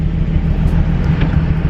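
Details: Nissan 350Z heard from inside the car: low, uneven exhaust rumble with a lumpy, motorcycle-like beat from a random misfire; owner had just added oil and wonders if overfilled; cause unknown.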